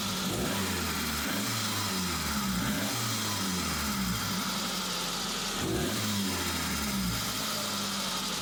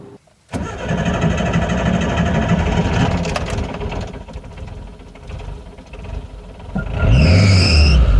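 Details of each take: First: Suzuki Samurai, hot engine, after replacing the fuel pressure regulator for hard warm starting and bad idle: runs smoothly, picks up cleanly through several even revs without stumble or hesitation; repair appears to have fixed it. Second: Warm Suzuki Samurai petrol engine, before fuel pressure regulator replacement (browned vacuum line, fuel bypassing regulator): long uneven cranking for several seconds before it finally catches and revs; hard warm start.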